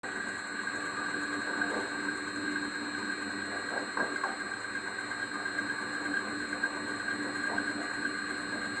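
A steady high whine with a few faint irregular chirps rides over the running engine, pointing to a noisy pulley after belt adjustment.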